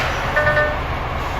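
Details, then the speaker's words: DAF CF85 Euro 6 truck after faults were cleared: steady, even idle hum with no grinding or clunk as gear is selected; normal gear engagement. "Let's see if it goes in gear."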